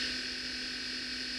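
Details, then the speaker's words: Radio Shack Micro 29 microcassette recorder using its built-in microphone: a constant thin whine with a steady higher tone over high tape hiss; the tape mechanism and motor whine bleeds into the recording. "Using the recorder's built-in microphone picks up the ceaseless whine of the tape mechanism and motor. You can easily hear the motor whine in this recording."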